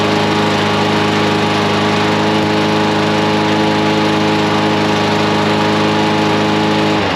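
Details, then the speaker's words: Briggs and Stratton mower engine after carburetor cleaning: steady, even drone with a low, unhurried beat, running a little slow though it starts; a second cleaning made it stop running slow. "Kind of sounds like it's running a little slow, but it starts."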